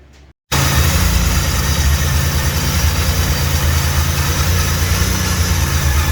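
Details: Built 3800 V6 first start: catches straight away and holds a steady, even low idle with no knocks, ticks or misses; runs healthy.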